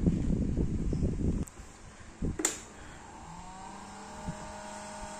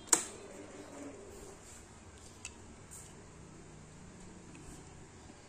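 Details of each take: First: Yamaha Xride motorcycle LED headlight cooling fan after several years' use: thin steady whine and slight buzz that grows louder and rougher, caused by a dry, under-lubricated fan bearing. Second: Yamaha Xride separate LED headlight cooling fan after cleaning, tested before closing up; runs almost silently with a faint even whir, no longer noisy as it was after years of use.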